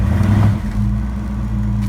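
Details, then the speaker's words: 1970 Ford LTD after throttle dashpot replacement, in drive with foot on brake, throttle goosed: deep steady engine drone swells and settles smoothly, not even close to stalling; normal rev under load. "we're gonna goose it and see what it does not even close to stalling"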